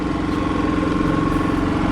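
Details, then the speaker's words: Kipor IG3000/IG3500 inverter generator after replacing its inverter board with a Champion module: engine holds a steady, even note with constant hum, throttles up and down smoothly; producing output again, running normally. "we have our output if you have a listen he throttles up really smooth it fells down no problem"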